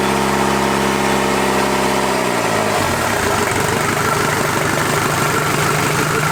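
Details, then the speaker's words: Toyota 40 series LandCruiser B diesel engine, first start after rebuild: eases from higher speed down to a steady, even idle clatter with no knocks or misses, sounding real sweet; tappets not yet adjusted; normal idle. "so she's um she sounds pretty sweet doesn't it sounds real sweet"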